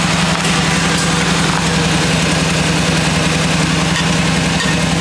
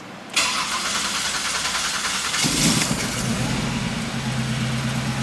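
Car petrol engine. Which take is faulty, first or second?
first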